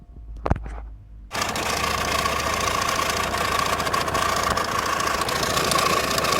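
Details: Audi A6 C5 2.4 V6 petrol (ALF) that shakes badly, lacks power and revs sluggishly, with noise coming from the timing covers: it starts into a rough, uneven idle with a rapid ticking knock and a ringing tone. Engine knock and vibration, cause unknown.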